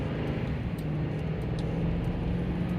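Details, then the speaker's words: Lifted 2010 Toyota Tundra after installing a Rough Country carrier bearing drop kit (1776BOX1), on takeoff: low, smooth rumble with no shudder or pulsing drone. The shudder on takeoff that followed the lift is fixed. "this kit definitely fixed the shutter upon takeoff, because pretty much every and any stop caused the same problem over and over."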